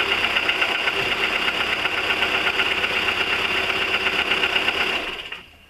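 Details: 1999 VW 1.4 16V: light, fairly regular tick about four per second over idle until shutoff; exhaust fumes said to turn darker and thicker from burning oil if nothing is done; engine ticking at idle, cause unconfirmed.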